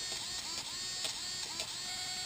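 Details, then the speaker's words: New Traxxas X-Maxx RC truck steering servo under slight load from the steering linkage; thin high electric whir and hum with rising chirps as it turns, louder against plastic, defective servo regardless of TSM setting. "you'll hear the humming coming out of this servo which I've never heard like this before"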